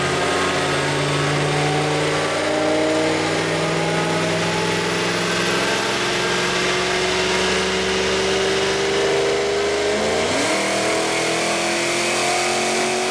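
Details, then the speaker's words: Car after JLT cold air intake install and SCT retune, before dyno: smooth even note climbing steadily through revs with clean drop near end, no knocks or misses; normal revving. "Now this is how the car is supposed to sound."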